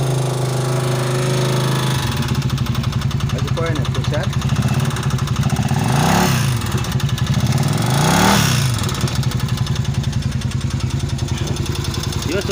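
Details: Vento 250 motorcycle: rapid, regular knocking under the idle, about three a second, getting louder through two throttle blips. The mechanic first suspected the timing chain or tensioner, but teardown found a damaged connecting rod/crankshaft, i.e. big-end knock.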